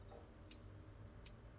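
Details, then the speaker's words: Relay module on an Arduino Uno board from an Elegoo starter kit, freshly uploaded code: two crisp, sharp clicks about three quarters of a second apart over a faint hum; the relay is switching normally. "oh okay i can hear the relay ticking over"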